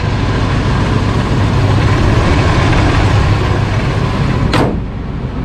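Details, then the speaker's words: 1973 GMC C2500 at idle: loud, rough idle with an uneven, loose rattle from the accessory drive; owner first blamed the old alternator but now suspects the smog pump, unconfirmed. High idle and choke not working; smooths as it warms. "kind of rattling sound. I thought it was the old alternator, but actually kind of sounds like it's coming from the smog pump."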